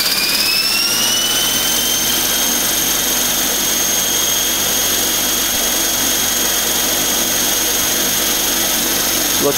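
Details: eFlite Blade 400 flybarless RC helicopter, first spool-up after rebuild: high whine climbs over the first two seconds, then holds one smooth steady pitch without wobble or buzz; blades appear to track, clean even spool-up.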